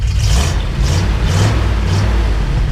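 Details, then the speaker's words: 1979 International Harvester Midas Super Scout II Baja 4x4 V8, warmed up, revved about four times: rises cleanly and falls back smoothly, no misses or knocks, no smoke; healthy engine. "go ahead and rev it up a little bit sounds good we'll take you back here mrs d loves the rev stuff so that's our favorite thing to do yep"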